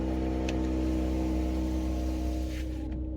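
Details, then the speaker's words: Mercedes-AMG GLE 53 Coupe 4Matic+ (W167) with EQ Boost: engine catches with no starter screech and settles into smooth steady idle hum; EQ Boost means no starter noise, healthy start. "Karena ini sudah EQ Boost, jadi kalau mesin dinyalakan decitannya sudah tidak ada. Jadi langsung aja dia nyala."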